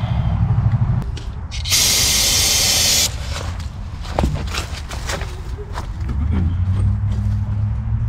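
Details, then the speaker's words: Abandoned 1974 VW Super Beetle, off road since 2002, after firing-order check: hiss of spray, then cranking catches into rough uneven low rumble; engine first start. "Booyah got it did you hear it yeah it started"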